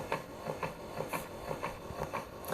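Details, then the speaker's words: New Keurig 2.0 K450 brewing a six-ounce cup; soft regular ticking about twice a second as the pump pulses water at brew start, an odd churning sound the owner did not expect, but operation is normal. "i gotta say that the sounds that it makes is a little odd um i didn't expect it to like hopefully you can hear that in the video but it's weird like you can hear like churning turn turn turn"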